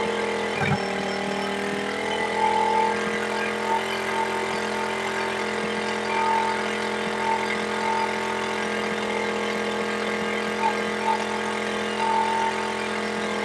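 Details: Suzuki Smash 110 carbureted single-cylinder bike after idle/carburetor adjustment for a no-idle problem: settles into an even, steady idle, no hunting or stumbling, no longer stalling as before; normal idle.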